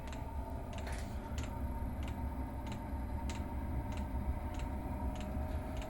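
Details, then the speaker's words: Chinese diesel garage heater during start-up after glow plug phase: soft even fuel pump ticks about every 0.6 seconds over a low fan hum; normal dosing pump pulse rate. "right fuel pump has started making a little clicky noise that's the sound that's the pulse rate you generally get at three"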